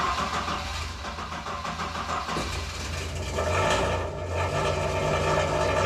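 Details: Mk2 Escort back on the road: engine catches and revs with a raspy, uneven blare well beyond normal; a very cheap, worn-out exhaust system is blowing.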